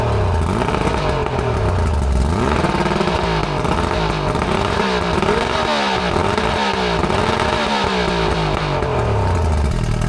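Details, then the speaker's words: Restored junkyard outboard on muffs, revving: strong steady roar with crisp revving and even beat, no knocks or misses; runs healthy, though the water stream was weak and spitting. "Sounds good, man. Yeah. I'll tell you what, this thing is running freaking perfectly. Sounds like an animal."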